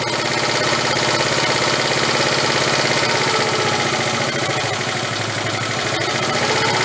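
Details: 1974 Honda Z50 monkey bike, restored but never ran, idle screw turned up: small single cylinder ticking over at a fairly even quick beat, no knocks or misses; idle sounds steady and in tune.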